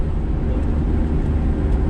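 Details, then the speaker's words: 1982 AMC Eagle SX/4, about six thousand miles put on by owner, catalytic converter kept but probably original muffler long gone, header exhaust leak recently developed; steady, loud, deep drone while cruising, no knock or tick; sounds bad, loud exhaust. "it still has its catalytic converter but it didn't make it like hardly any difference now it just sounds it sounds bad"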